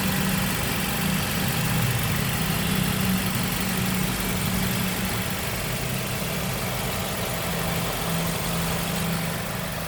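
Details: Nissan QR20DE engine idling with loud, clattery top-end cam/valvetrain tick plus a faint chirping or squeaking, owner suspects the timing belt; source unconfirmed.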